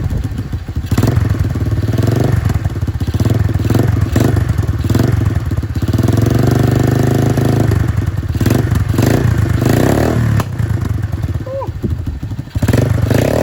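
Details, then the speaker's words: Free 110cc Dirt Master pit bike with fresh fuel, broken choke, after twisting a part: fires and runs unevenly for several seconds, lumpy chuffing with dropouts, barely running; cause not confirmed. "now i did actually just get it running for a short period of time all i did was twist this"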